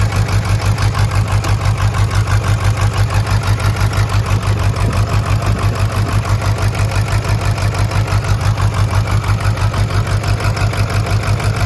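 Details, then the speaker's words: Burnout-truck diesel jump-started after sitting in cold, wet weather: lumpy, uneven idle with a loping beat about three per second, no knocking, blowby from the oil fill cap and oil pressure; dead cylinders, owner suspects a broken or melted piston. "Well, unfortunately, I think the engine is hurt. Thankfully, I don't think it's bad. Might have a broke piston, melted piston, something"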